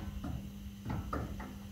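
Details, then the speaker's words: Volkswagen Golf 5+/Tiguan front strut: short creaking bursts over a steady low hum as the strut turns; new top mount bearing fitted with arrows facing the wrong direction by previous mechanics, causing squeak. "неприятный звук. А все почему? Потому что криворукие мастера до этого."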